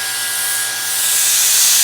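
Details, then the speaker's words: Land Rover Defender 110 300Tdi cyclone separator bench-tested with A/C vacuum pump via silicone hose: constant sharp hiss as air is drawn through a small hole at the back, won't hold vacuum; vacuum leak, part no good. "there's a little hole at the back there it's drawing air through there and it won't all the vacuum"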